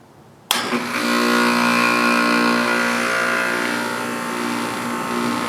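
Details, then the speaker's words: 240 V outdoor AC unit after capacitor replacement (third one), called by thermostat set to 56 degrees: kicks on sharply and settles into a steady hum with even fan whir, no rattles or buzzing; running fine. "Alrighty, so I got the set the thermostat down to 56 degrees and it looks like everything's running fine. The fan sounds good."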